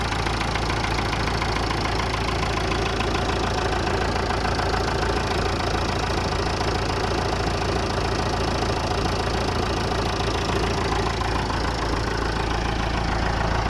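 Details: Massey Ferguson MF 290 tractor diesel started after engine repair: an even idle clatter of about three and a half beats a second, steady and unchanging, so the engine is running properly.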